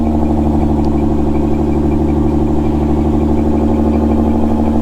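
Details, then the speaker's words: Salvage auction car with Cobb SF intake and E85 ethanol content analyzer, briefly stalled after first start, then restarted: steady even idle with smooth low hum, no knocks or misses, no check engine light; normal idle. "it seems to be running fine"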